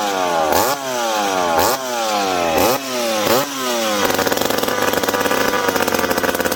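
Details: McCulloch PM700 chainsaw, freshly ported, first start after fuel tank refit and priming: sharp throttle blips about once a second rising and falling cleanly, then steady high buzz; revs freely, runs healthy.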